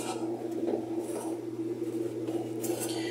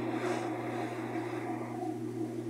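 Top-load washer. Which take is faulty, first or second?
first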